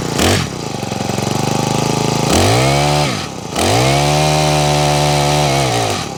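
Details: Honda HHH25 four-stroke hedge trimmer brought in with a broken pull cord and bogging, first start after priming and choking: the engine catches, then surges and sags twice instead of holding steady. Uneven running, needs carburettor tuning.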